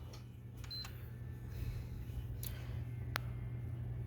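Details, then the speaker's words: PS4 Slim after replacing its failed hard drive (which had shown "cannot access system storage"): low steady hum and short beep at power-up, no clicking or grinding; the old drive's noise is gone, healthy boot. "it's not making that noise that it was making so i was right about that too so the old hard drive was making that god-awful noise they quit doing that"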